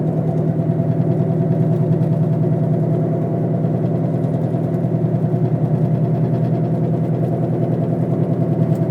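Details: Steady grinding drone with a whining edge while driving, starting the day after the wheel bearings were replaced; louder on acceleration, vibrates the whole car, and silent when braking to a stop. A rotating part, source unclear.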